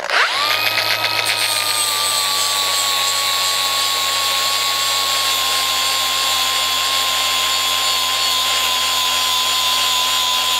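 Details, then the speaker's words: Cordless grinder shaving down a 2001 EZGO TXT 36-volt golf cart battery tray to fit: steady high whine that sags a little after spin-up and stays low while cutting; motor bogging because its battery is almost dead. "But you can probably hear the grinder is struggling a little bit because the battery's almost dead."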